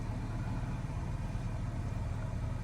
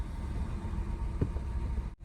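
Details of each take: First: 2016 Nissan Qashqai 1.2 petrol with rough idle, shake and misfire codes P0300–P0304, after diagnosis and clearing codes: smooth, even low idle with no stumble or skip, no warnings or codes returning. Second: 2016 Nissan Qashqai 1.2 petrol with rough idle, intermittent engine light and poor pickup, running with a coil pack connector unplugged on top of a stored cylinder 3 misfire. The engine shakes very badly, a deep, uneven, stumbling idle from two dead cylinders.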